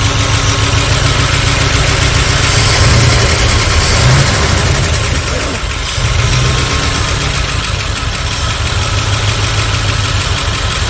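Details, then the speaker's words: 1978 Dodge D150 with a 318 LA V8, started after a couple of years sitting, fed fuel. A loud, uneven idle lumps along irregularly. The crew judge the ignition timing to be a little advanced. "everyone timing a little off what do it Loose hangang no it's not loose it's Advanced very Advanced not very Advanced it's a little Advanced"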